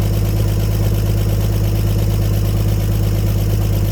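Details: 1954 Chevrolet 150 straight-six running after sitting, with the coil jumped on jumper cables: an even, steady low rumble with no misses, pops or knocks as the old engine idles smoothly.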